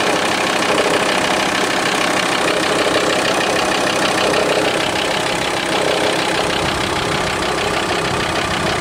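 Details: VW T4 2.5 TDI (ACV engine) diesel idle: fast, loosely regular tapping about three a second above the usual clatter, disappearing with a little throttle; unexplained abnormal idle noise.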